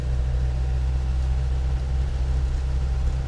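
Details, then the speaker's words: 1995 Land Rover Defender 110 300Tdi diesel cruising in fourth gear at about 35 mph: a steady low drone with no clunks, knocks or whines from the drivetrain, joints or transfer case; very quiet and smooth. "So far, so good. Very quiet, very smooth vehicle. I mean, very quiet for a Defender."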